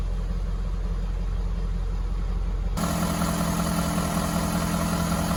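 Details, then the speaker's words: 2015 Ford 6.7 Powerstroke diesel, first start after repairing no/low oil pressure, showing about 52 psi: steady, even idle with a firm low drone and no knocking or ticking. Normal idle. "We got about 52 about 52 PSI. When I first started, so I guess it's going to be all right. It sounds good."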